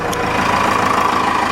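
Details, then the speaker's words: Cummins 4BT turbo diesel idling a few minutes after oil and fuel filter change and air filter wash to check for leaks: even steady clatter, no knocks, misses or hunting; good oil pressure, normal idle. "that smells good oh yeah good oil pressure burn like a kitty"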